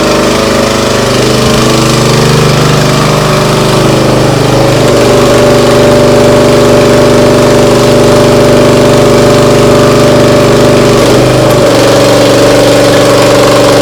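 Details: Briggs & Stratton CR950 208cc engine on a Diamond 25-ton log splitter, after carburetor cleaning for a no-start following a couple of years unused: steady, even hum with smooth firing, no misses or surging, at mid throttle.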